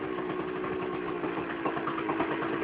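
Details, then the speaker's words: Cold two-stroke motorcycle not started since last year, needing to smoke itself clear: starts, pops at a low, uneven idle that keeps faltering and barely holds; unstable cold idle. "Tulajdonképpen egy föszre indul. Meg hát ez tulajdonképpen most tavaly óta nem lett beindítva, tehát egy picit ki kell, hogy füstölje magát. Most ma talán tartja az alapjáratot,"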